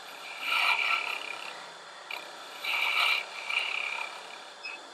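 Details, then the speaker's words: Woodturning lathe, hollowing tool cutting a mushroom form while overhung about 1.5 to 2 inches past the tool rest: intermittent high squeal as the cut engages. Tool chatter at the limit of its reach; cuts won't be clean. "you can hear the squeaking that's telling me that I'm on the verge of where this tool is usable because I'm a good inch and a half 2 in out over the end of the T rest so I know those cuts are not going to be nice clean Cut"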